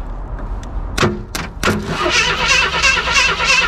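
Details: 1977 AMC Pacer long sitting, found with A/C, lower hose and lines cut; a few clunks then starter spins engine freely at about three beats a second with no firing; turns over but won't start, needs oil.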